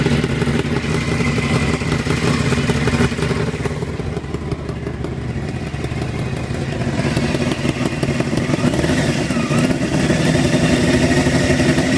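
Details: Honda CBR600 engine at steady idle with a light, loosely regular tick over its drone; ticking cannot be heard under deceleration, cause unknown.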